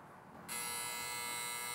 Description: Most of the time the problem is the photocell, in this video I show you how easy it is to replace it and stop the buzzing noise.